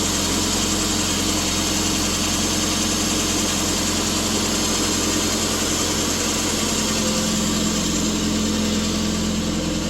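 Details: 2007 Subaru Impreza 2.5i after repair, ice-cold start, coolant being burped, VVL lift mode 1: smooth, even idle with a steady low hum, no misses, knocks or hunting; normal idle.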